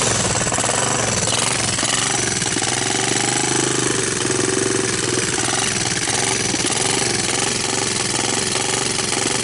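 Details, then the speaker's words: Honda TRX200SX ATV after valve timing corrected (was one tooth off), pulse generator replaced, JB Weld-patched stator cover, fresh plug, portable CDI pack, started on choke: loud steady single-cylinder chatter, no misses or knocks as choke comes off; normal running. "Looking promising."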